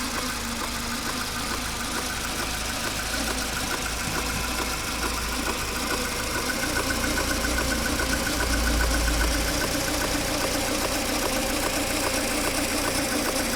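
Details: Mercedes A 140 (W168), 2002, 133,000 km: fast light metallic rattle, about two per second, over a steady idle; recently appeared. A mechanic suspects the timing chain or its tensioner, not confirmed.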